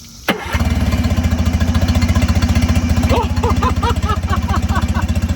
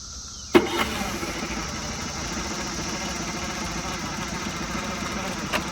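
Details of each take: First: Mercury 9.9hp outboard with a new impeller after its clogged cooling line was cleared with compressed air, water on; cranks once, catches at once and settles into an even idle of about four beats a second, telltale streaming strongly: normal start and idle. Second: Mercury 9.9hp outboard in a tub with a new impeller after sitting over six years; catches and settles into a steady buzzy idle but no telltale water stream, possibly impeller fragments stuck in the cooling line: running with no cooling water flow.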